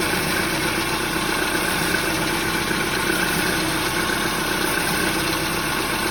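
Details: Peugeot 308 at idle: an alarming, uneven knocking about four times a second from under the hood over the engine hum, which turned out to be a slapping alternator belt.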